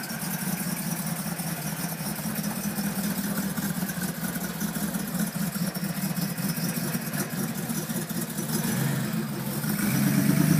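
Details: Mercedes G55 after Kleemann supercharger install: uneven, hunting idle with a faint hiss over the low rumble; rough idle caused by vacuum line leak.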